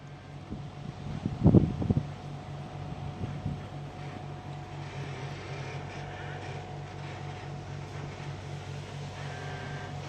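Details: Volkswagen Golf VI Variant 1.2 TSI engine running with a steady low buzz under even engine hum and some handling thumps early on; engine-bay buzz source unclear.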